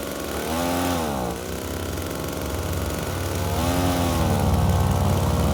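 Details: FUXTEC FX-LBS126P leaf blower (2018) that would not start, after replacing a cracked fuel intake hose: small two-stroke revs up cleanly twice with a crisp, even buzz rising and falling smoothly; runs healthy.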